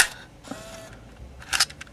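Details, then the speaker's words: Canon Vixia HV40 HDV MiniDV camcorder, unused for years, in cold foggy conditions: short whirrs, clicks and scraping from transport, "remove the cassette" error; tape fails to load, pinch roller found loose. "come on please work oh no remove the cassette okay that doesn't sound good"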